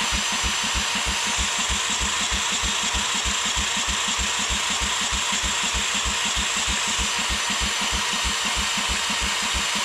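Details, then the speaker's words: Old Rosco Vibra-Pac asphalt roller packer engine cranked after cleaning electrical connections: steady cranking about three compression strokes a second, never fires; no spark, cause not found, repower considered. "Alright, we have absolutely no spark. I think this is going to be the part in the video where I tell you that I failed. I can't get spark on this."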